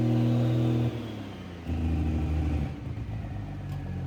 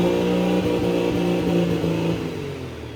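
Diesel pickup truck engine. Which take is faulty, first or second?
second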